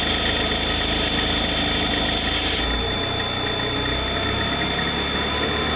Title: weird noise when cold